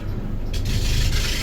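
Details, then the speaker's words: Mercedes W204 with rough-running engine, low rough rubbing groan under the engine while turning the steering wheel; owner suspects alternator freewheel pulley or tensioner pulley, replacing them one by one, power steering suspected if noise persists. "das macht so Geräusche. Das kann sein von dieser Freilauf oder Spandol oder Freilauf und Lichtmaschine rein."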